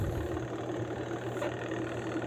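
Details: Sharp washer/spin-dryer, spin motor tested during a home repair after the owner reported smoke and a burnt smell: a steady, even low motor hum with no knocks, rubs or surges. The spin motor runs normally.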